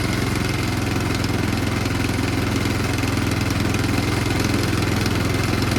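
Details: Powermore engine on a Yard Machines snow blower, first run after refresh, pull-started with choke and slight throttle: small single chugs evenly at a steady fast idle with no misses or odd noises, running healthy.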